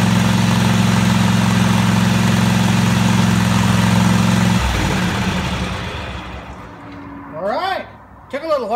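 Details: Craftsman DGT 6000 engine on first start after reassembly, with the fuel line and pump refitted. It holds a steady, even drone for a few seconds, then shuts down cleanly: it runs fine.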